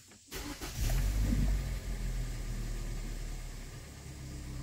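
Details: 2013 Hyundai Elantra GT hatchback, 2.0 L, tachometer intermittently not working and weak revving at light throttle; after repair and clearing codes, quick crank catches within a second into a smooth, even idle; healthy start.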